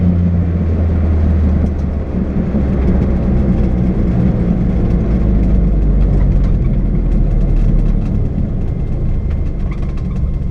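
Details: Renault 5 GTT, GoPro recording under acceleration: loud engine pull with uneven stumbles and crackles breaking up the drone; misfire when on boost.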